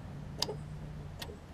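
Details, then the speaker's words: Murray widebody riding mower after sitting for years, following valve adjustment and fresh oil, earlier hydrolock suspected: ignition switched on gives two crisp electrical clicks over faint hum, showing the circuit works before attempting to crank. "So far, you can hear, I turn the switch on here, you can hear the thing clicking."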